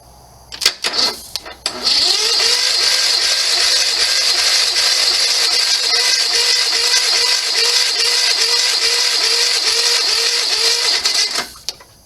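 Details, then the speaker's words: Sears SS16 garden tractor, Onan twin-cylinder, sat several years; steady starter churn about 3.5 turns per second, spins freely but never fires. Crank no start, probably no spark; ignition points dirty. "probably does not have spark it's onan i'm going to pull the cover off the points and see what's in there"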